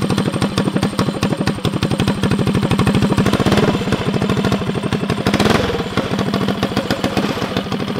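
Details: First break-in start of the Stage 4 Tillotson engine on a custom drag mini bike, very loud: crisp single-cylinder popping at about eight beats per second with small throttle blips. A healthy fresh engine idling normally.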